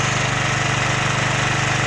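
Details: Champion 9000-watt dual-fuel electric-start generator that had been starting then stalling with a loud backfire, restarted on choke after the fix; fast steady single-cylinder putter at constant speed, no popping or stalling; running properly.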